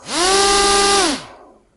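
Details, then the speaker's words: Single brushless motor on its own ESC, with the second motor disconnected: clean rising whine climbs quickly to maximum, holds a steady high pitch, then winds down smoothly; the motor spins freely. "there it is almost to the maximum and reaches the maximum"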